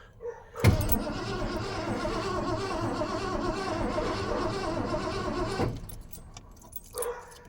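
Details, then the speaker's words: Ford F250 with a 302 V8, abandoned 7–12 years, first cranking on a new battery with dirty terminals. About five seconds of fast, even cranking with no firing; the light, airy strokes suggest weak compression. "sounds really weak on a compression way but I'm not surprised"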